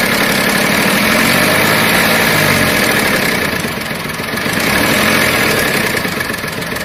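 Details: VW Polo 7 at idle in a Tunisian repair workshop: busy, rough clatter with a fairly regular beat about four per second; abnormal engine noise, cause not identified.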